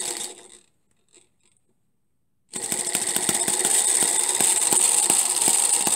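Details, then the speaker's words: Homemade miniature 4-stroke hit-and-miss engine with a half-inch stroke, running; silence, then a quick run of sharp firing ticks as the governor locks out the exhaust valve and releases it, firing and then coasting, normal. "so you can hear it fire and then coast and uh looking right through here you can see that little governor expanding and that's when it it locks out the exhaust valve"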